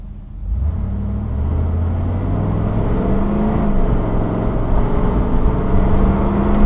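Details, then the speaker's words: 3rd-gen Camaro with a 305 TPI V8 and an adapted replacement EGR solenoid, on the road test under moderate acceleration: a deep, even drone with no miss or knock. No code 32. "there should have been plenty of time uh for a Cod 32 to set if was was going to and so far so good um driving great"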